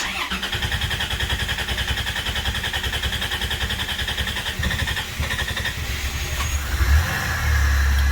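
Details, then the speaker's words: 1990 Dodge Grand Caravan LE being restored after sitting, no instrument cluster hooked up: door chime and fuel pump hum, then about six seconds of even cranking before it catches and settles into a smooth idle. Normal engine start. "she goes and she's alive I couldn't tell you what's going on here because there's no cluster hooked up but it's alive and it sounds good"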